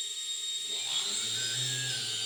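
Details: Eachine Tyro 109 drone motor: high, shrill whine with a gritty, rough edge underneath instead of a clean hum, from a bad motor bearing.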